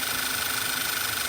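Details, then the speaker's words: 2010 VW Tiguan with a lean code at idle, just started at 62°: a steady airy hiss and thin whistle over a quiet, even idle. Suction felt at the PCV assembly vent shows a broken diaphragm leaking vacuum; the vent or assembly needs replacing. "over time that rubber diaphragm breaks and this vent here which basically just allows atmospheric air to push onto the diaphragm uh if if you feel any type of suction"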